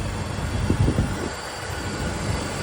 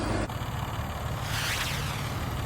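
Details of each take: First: 2005 BMW E46 330i ZHP petrol engine after DISA valve reinstalled, restarted and idling with a steady, low rumble and no intake rattle; earlier the DISA valve was noisy and needed replacing. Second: 2005 BMW E46 330i ZHP six-cylinder idling with a loose, uneven rattle over the low engine hum from a broken DISA intake valve needing replacement; quiet again after the fix.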